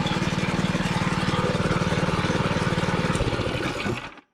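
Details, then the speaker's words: 6.5 HP, 125 PSI gas air compressor, repaired after shipping damage: unloader valve trips and lets off air, single-cylinder engine drops back to an even idle; running properly. "The unloader valve that just tripped and dropped it back down to an idle. So you can hear the unloader valve letting off air right here."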